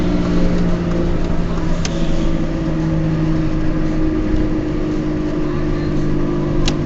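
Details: Peugeot 206 while driving: a steady low drone holds over road noise while cruising, from noisy worn wheel bearings.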